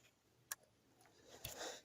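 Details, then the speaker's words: Security camera powering up in a quiet room: one sharp click as the IR-cut filter switches, showing voltage is reaching the camera. All cameras click this way; checked while diagnosing a pink-image fault. "sé si se alcanza a percibir ese clic pero todas las cámaras lo hacen de esa manera podemos saber si tiene voltaje en nuestra cámara o no"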